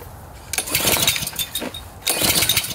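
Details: Pressure washer petrol engine with recoil start, not run in a while, choke full: two rough pulls with brief sputters that die at once; never catches; owner suspects flooding.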